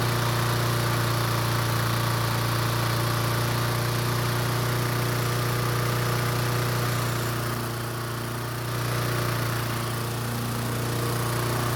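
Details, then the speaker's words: Toro commercial mower that would only start with gas poured into the carb, after fixing the choke flap and reopening the closed fuel shutoff valve: steady, even low drone with a constant beat, no misses or surging; normal running. "after fixing the choke flap it looks like the engine is starting just fine now and it turns out the fuel valve is also working as well now"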